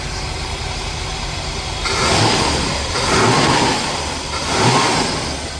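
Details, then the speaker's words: 1965 Pontiac Lemans V8, restored over 20 years and in for an oil change; steady low rumble at idle, then three clean throttle blips that rise and settle smoothly, running well with no misses. "Listen to it running. It's pretty good, right?"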